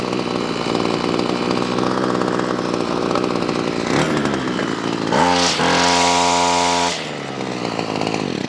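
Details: Ryobi CS26 two-stroke trimmer, earlier a no-start, after replacement carburetor and high-side mixture tuning: high buzzy note revs up cleanly, holds steady and drops back without stumbling; running properly, though slightly smoky.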